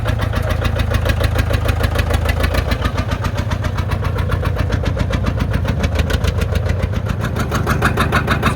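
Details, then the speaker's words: John Deere 830 Industrial two-cylinder diesel, first run in at least 20 years after water pump and fuel system bleeding: steady, even chug, both cylinders firing cleanly. Normal running. "This is the first time this is running in at least 20 years."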